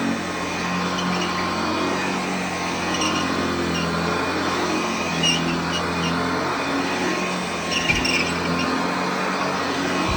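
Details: Hoover Junior (UK) / Lark (US) model 115 upright vacuum running on a newly fitted belt: steady, even smooth motor hum with no slapping or squeal from the belt; sounds healthy.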